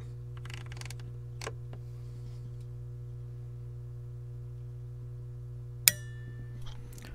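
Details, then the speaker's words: Pioneer SX-980 receiver, auxiliary selected with no input signal, microphone in front of the protect relay; steady low hum, then a single sharp click as volume rises and the protect relay drops out; cause unknown. "so there you go it shut off just by turning the volume up with no signal whatsoever"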